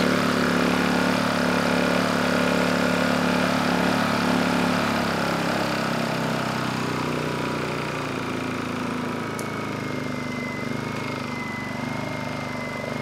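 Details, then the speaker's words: Honda EU2000i generator after a carburetor leak repair with new needle, started first pull on choke; small single-cylinder runs at a steady, even beat, easing as load drops, no surging or misfire; normal running, no carb leaks. "finally this thing fired right up first pull engine sounds good and it's making power more importantly we don't have any leaks on the carburetor"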